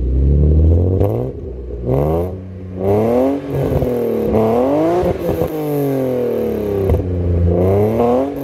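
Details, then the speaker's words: Widebody BMW E36 328i drift car exhaust, loud at the rear: revs rise and fall with sharp little cracks on deceleration; owner unsure if it's running poorly or has a pops-and-bangs map. "it's got some like i don't know if it's just running poorly or it's got a pop and bangs map because on d cell it's like like constant little pops"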